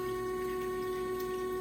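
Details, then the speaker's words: Samsung DW80M2020US dishwasher after replacing broken water inlet valve DD81-02265A, normal cycle startup: steady whirring hum from the drain pump impeller pumping water out; normal drain pump operation. "it's making a funny sound that's just the impeller pumping water out of it this is this is just its normal startup it's protocol so to speak"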